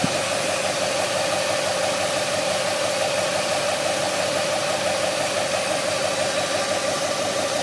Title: Whining noise from engine bag